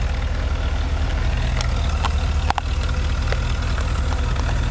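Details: 1977 Mercedes 450 SLC petrol V8 warming toward 80 degrees: low even idle, steady rumble, no hunting or stumbling; earlier idled high cold and nearly stalled warm, auxiliary air valve replaced.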